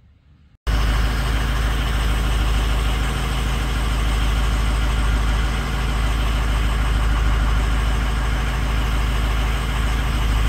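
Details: 6.0 Powerstroke diesel at idle with a bad #6 injector: a loud, uneven, lumpy beat about three times a second instead of a smooth clatter, an injector fault misfire.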